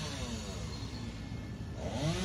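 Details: 2007 Jeep Commander engine running: a rough note with a whine that rises and grows louder. The alternator is suspected as the noise source and slated for replacement.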